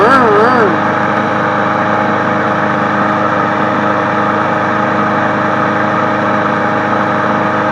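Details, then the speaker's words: Craftsman 22-inch push mower 917.385320, which ran unhappily; owner suspects a check valve. Now it holds a steady, even drone at constant speed with no stumbling or surging. Normal running. "Now it sounds good. Sounds good."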